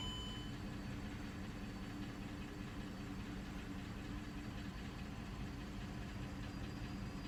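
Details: Mercedes W211 E350 at idle: a quiet, low idle with faint, regular light knocks over it. Engine knocking of unclear cause.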